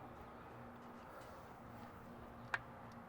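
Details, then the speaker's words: Exterior light fixture after replacing the faulty dawn-to-dusk photocell sensor that caused the buzzing, with an LED bulb fitted: quiet, one soft click, no buzz or hum, working normally. "buzzing it might take a second to turn off but there it goes okay well everything's good"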